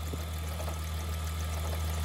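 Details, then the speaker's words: Mk3 VW VR6 12v at idle, clunk persists with clutch pressed despite new AC compressor, power steering, alternator, tensioner, water pump and serpentine belt: steady idle with sharp irregular knocks, seems inside the engine; owner suspects clutch, source unclear. "but the clunking noise it's there somehow i don't know"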